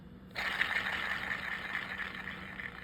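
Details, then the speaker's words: Shakespeare 2410 spinning reel, still noisy with the gear and axle shaft removed: a faint, dry, gritty rasp with a thin steady whine as it turns. This pinpoints a worn pinion-gear bearing, which is to be replaced. "Yeah, that kind of pinpoints it down to that gear, that bearing, doesn't it? So that's where we're heading. We're going to go in and see about replacing that bearing."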